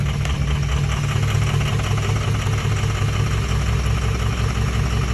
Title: 04 6.0 rough idle vid